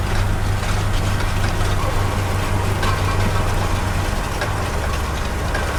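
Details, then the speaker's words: Tractor pulling a Vaderstad Top Down tined cultivator in hard ground: heavy drone with loose irregular rattling from the packer scrapers between the rings, set loose on purpose, normal. "the rattling you can hear are the scrapers you can see those black scrapers at in between the yellow rings and just see them moving about and they set them loose on purpose"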